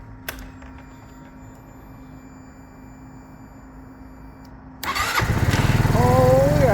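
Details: Scooter starting after a broken hidden cable was found, starter motor and solenoid first suspected: quiet lead-in, catches first try and settles into an even single-cylinder putter about four beats a second; normal start.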